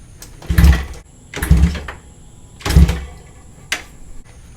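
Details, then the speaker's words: 1973 Honda 350F four-cylinder with an old battery: three short cranking bursts and a brief fourth spin evenly without binding, so the engine turns over freely and isn't seized. "so it's not frozen up that's a real good thing"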